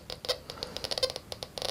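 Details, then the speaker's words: XP metal detector with sensitivity set too high and ground reject too low chatters nonstop with irregular crackly background tones, masking small targets like a cut quarter. "If you turn the sensitivity up too high, and you have your ground reject too low. How can you expect to find something as tiny as this cut quarter when you've got all that background noise and chatter?"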